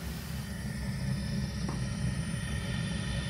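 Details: Zhukovsky gas heating boiler built 1997, gas tap about a quarter to half open: a low, uneven rumbling roar with a faint rough flutter and a click. Unstable burner combustion; cause not determined.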